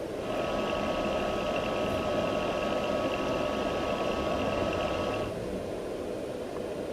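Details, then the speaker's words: Palstar PS-30M power supply after its noisy fan was replaced with a new fan: steady, soft whir with a faint high hum, much quieter than before. "Well, here's the power supply with the new fan, and as you can hear, the new fan is a lot quieter."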